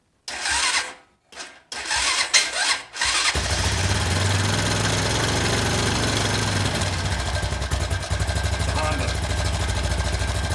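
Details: 2001 Honda Foreman 450S ATV, choke on, battery jumper, after replacing blown main fuse to restore spark: short starter bursts, catches at about three seconds, settles into steady even single-cylinder idle indoors.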